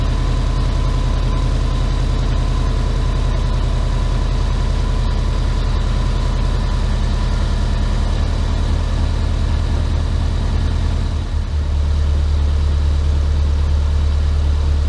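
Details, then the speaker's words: Subaru Impreza boxer engine rebuilt with SOHC heads, first start after over 2 years: steady even low rumble settling a touch lower near the end, no knocks or misses; running nice, idle just dropped. Normal idle. "I'm not gonna lie, this looks really good right now. It's running nice, idle just dropped."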